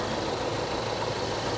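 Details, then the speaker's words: Auction car with the supercharged V8, 119,000 miles: steady, even idle with no knocks or misses, runs good; part of the fan shroud appears to be missing. "We got the supercharged V8 version, and it runs good."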